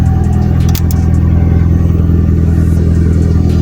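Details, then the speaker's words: Honda Civic 8th gen, running after the no-start was traced to a ground, not the computer. A deep, smooth note holds steady without misses, rattles or knocks while it warms. A little smoky and smelly, but it drives. "like I said it's a little Smokey smells who knows but I'm just stoked that it just [ __ ] drives"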